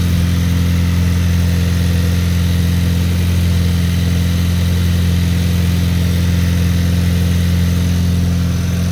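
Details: VW DLB 2023 engine with 23,000 km after rebuild, cold start after cleaning a top mount bearing, air conditioning on: deep even idle with steady low drone and no knocks, ticks or misses; normal idle.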